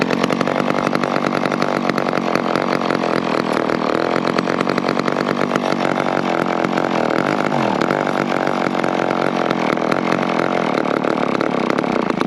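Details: McCulloch 10-10 chainsaw, one of the 10-10s acquired in 2020, after cleaning dirt and gunk out of the recoil and priming: steady high buzzing two-stroke note that holds even with no misses or surging; runs and oils well.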